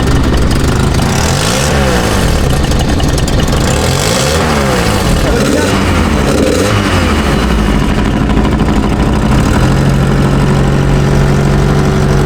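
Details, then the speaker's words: Turbo car on a track run with a 7,003 rpm limiter: light quick ticking over the exhaust note from an exhaust leak, a cracked exhaust manifold. "T'entends pas une fuite d'échappement là? Comme si le collecteur il était cassé."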